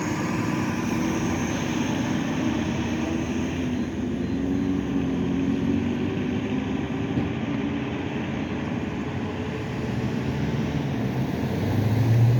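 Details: SEPTA 2015 NovaBus LFSA 62102 HEV hybrid bus #7445, Cummins ISL9 330HP EPA13 diesel with Allison EP50, riding in service: steady diesel drone under road rumble with a thin turbo whistle holding on top as the bus pulls; turbocharger whine.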